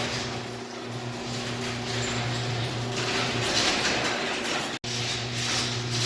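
Even motor drone with a steady rolling rattle of the door travelling, then a clean stop; the opener is closing the door normally.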